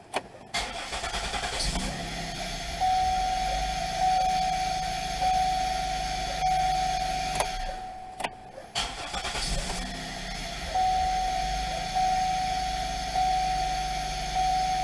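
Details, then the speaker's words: 2000 Pontiac Bonneville: engine cranks, catches, surges unevenly for a few seconds and cuts out when off the fuel, then restarts if the key isn't turned fully back; intermittent stalling traced to a faulty ignition switch. "now if I let it die it dies this if I let off the fuel if I don't turn the key all the way back it should start and run okay"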